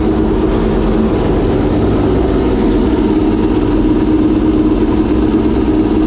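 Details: Homemade V12 race engine, reinstalled in the race car and first fired after several months of storage, giving a dense, steady drone with an even beat and no stumbling or popping; running smoothly.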